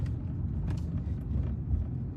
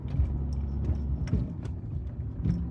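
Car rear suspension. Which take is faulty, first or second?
second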